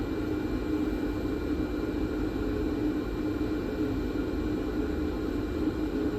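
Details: Nakamichi DR2 cassette deck capstan motor during restoration, before oiling its bearings, running with a steady, loud whirring hum and rough hiss; noisy dry motor bearings.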